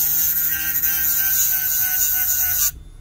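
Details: HDD spindle motor driving a hand-drilled 6 cm diamond disc, dry-cutting green opaque stone for a facet-cutting power test: steady high whine with dry cutting hiss, holding speed until cut-off; motor runs smoothly under load.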